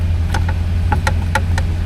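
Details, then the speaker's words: 1967 Cadillac DeVille convertible idling with the V8 running. Sharp flasher relay ticks about every quarter second sound over a low idle hum, but the turn signal lamps, including the hood markers, stay dark. "I can hear the turn signals, but I am not seeing them."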